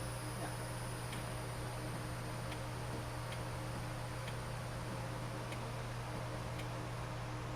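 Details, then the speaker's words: 1963 Lincoln Continental after battery hookup: faint, sharp clicks about once a second over a steady low hum with the key on, but no cranking; starter relay/solenoid was replaced. Starter clicks but engine does not crank. "You hear it? Someone's clicking."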